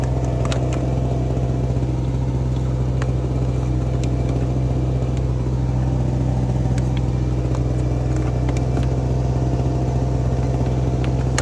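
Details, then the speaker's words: Repaired small two-stroke Chinese generator (850 W rated) powering a heat gun at about 830 W, worst-case load: steady, even low drone holding speed, no surging or misses; running healthy. "it's giving us 830 Watts I got 900 out of it earlier so I'm calling that a win"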